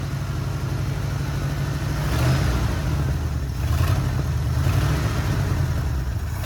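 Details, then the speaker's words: 1979 Ford F100 V8, sat ten years, run on temporary fuel line: uneven lumpy idle with small speed surges, running only with choke almost fully on; fuel-delivery problem suspected. "running and idling but I have my choke all the way on practically so um yeah that's not super cool but at least there's running and idling"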